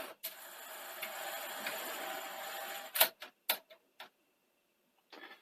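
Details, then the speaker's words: Sony SL-C30E Betamax VCR (European 240V), dusty and tatty, after adjusting mode switch alignment: a steady motor whir for about three seconds, then clicks and clunks as the tape threads. Loading now works normally. "so that's loading that's a good start [Applause] it's actually quite promising"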